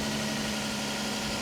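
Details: Copart auction car in Tulsa, engine idling with AC on, smoke smell of unclear source; smooth even idle with steady hum, no knocks, ticks or misses, engine sounds okay but never cleaned, timing belt history unknown; normal idle.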